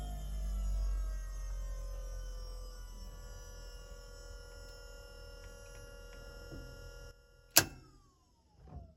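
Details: Electro-hydraulic Volvo power steering pump fitted into a Chevy S10, turned all the way up: a steady high whine holds one pitch under a low hum, with no squeal or grinding. The system bled quickly, and the pump is running normally.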